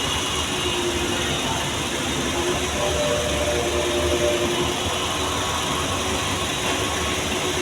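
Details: Volkswagen Vento that had an engine misfire, scanned for a fault code and repaired: now idles steadily with an even hum, no stumble, and no warning light after system diagnosis.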